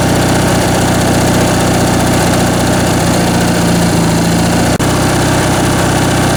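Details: Briggs & Stratton 19.5 hp opposed twin-cylinder riding-mower (Craftsman) engine on bench test after carb rebuild and stripped main jet repair: loud, even drone at steady speed, no misses or knocks; runs smoothly and healthy.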